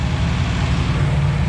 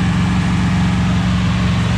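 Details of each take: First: 241 Red Ram Hemi V8 during cam break-in on a cold Kansas day: steady deep drone sitting fast, not settling to idle; a vacuum leak is causing the high idle. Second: 241 Red Ram Hemi V8 during cam break-in at raised revs on a cold day: a steady, even deep roar with no knocks, misses or ticks; oil pressure around 30 psi, running smoothly, with a possible vacuum leak mentioned.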